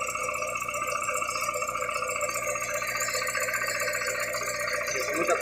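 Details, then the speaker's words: VW Gol with CHT engine, valves adjusted without change: fast tinny metallic rattle, about three or four hits a second, worse on acceleration, from loose clutch shaft support, not the valves. "então galera como vocês podem acompanhar aí não seria né as válvulas e sim aquele suporte lá da da embreagem que tá com tec tec tec tec"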